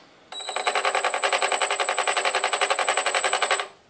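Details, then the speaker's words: Skyartec Cessna 182 5-channel RC plane, brushless motor with Li-Po: rapid ringing stutter about four pulses a second for three seconds, then cuts out; motor never spins, cause unknown; brushless motor stutter, no spin. "that noise and then just stops put throttle back to zero stops"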